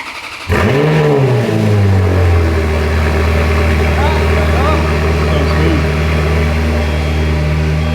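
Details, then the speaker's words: Ferrari F430 ex-rental with rebuilt engine, after reconnecting the vacuum lines once used for the removed exhaust valves: catches with a quick rev flare, then settles within two seconds into a steady, even V8 idle, and the vacuum fix seems to have cured the idle issue. "That sounds loads better. Doesn't it? That's humming now. So the vacuum system seems to have fixed the idling issue."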